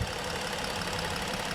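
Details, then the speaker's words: 2015 Ford Explorer 3.5 V6 at idle after an oil top-up (was about 1.5 quarts low): steady idle with a faint uneven shake and occasional stumble; power balance still shows cylinder 3 misfiring, which the relative compression test later flags. "where you're at power balance sounds like it's running a little bit better let's see still got a misfire on number three still grabbing this fire on number three"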